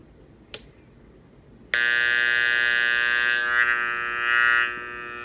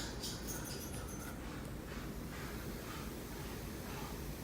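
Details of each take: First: KRK Rokit 6 studio monitor, buzzing for a couple of days: a click, then a loud, steady high-pitched buzz from the tweeter only, not the woofer. It was fixed by replacing both 1000 µF 35 V power-supply capacitors. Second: KRK Rokit 6 studio monitor after replacing both 1000 µF 35 V capacitors to cure a buzzing fault. Switched on with no input, only a faint even hiss with no hum or buzz: normal quiet idle.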